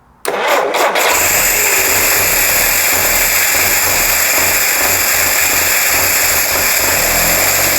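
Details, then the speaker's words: First start of a rebuilt Jeep CJ5 engine with new spark plugs, on starter fluid, fuel system still dry; a few quick cranking beats, then it catches into a steady loud run without knocks, starting fine. "It runs and it sounds great! Yes!"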